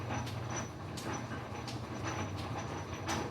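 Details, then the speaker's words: Circa-1900 Lodge & Shipley vintage lathe, feed screw gearbox running: low hum with a rough rasping grind about every 0.7 seconds. Grinding attributed to the bushing in the main control lever. "set it all in pause it in you can hear the grinding from that gearbox it's just because of the bushing that's actually in the main lever there"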